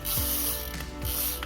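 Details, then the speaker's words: Ajiking Samson Z fishing reel during service: smooth, fine ratcheting clicks as the handle turns, no grinding or roughness; bearings still sound good, normal reel rotation. "untungnya suara dari boking masih bagus sekali terus beredar di bagian 10"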